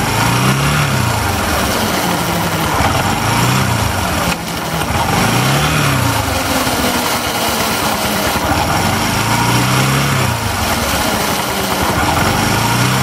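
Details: Bajaj Discover 125 ST idling: a rough rattle that swells and fades about every couple of seconds, a terrible drive chain noise.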